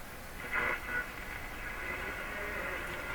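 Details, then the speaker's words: Crosley G2465 two-band radio, untested condition, tuned near 680 on AM with antenna turned toward Toronto station; steady hiss and crackle over faint broadcast, lots of interference noise typical locally, though sensitivity judged very good. "the interception quality is very typical of a decent grade here in my shocker lots and lots of interference noises"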